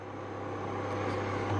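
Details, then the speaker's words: Midea induction cooker, previously only beeping and not detecting the pan, now plugged in directly without the bulb and switched on: steady fan rush and even hum, no beeping, pan detected; normal heating operation. "Đấy, nó bắt nồi luôn các bạn thấy không? Nó không kêu tít tít như vừa nãy nữa. Ok không các bạn? Đấy, chạy bình thường nhé các"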